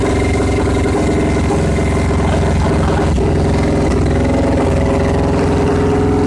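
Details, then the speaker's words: Victory V-twin motorcycle after engine swap, new high-exit blackout exhaust run without mufflers: loud, lumpy burble with a deep uneven pulse and light throttle blips; engine running healthy with open pipes. "this exhaust system exits much higher up but at least it's the point where the bike can be run and it'll be probably pretty loud"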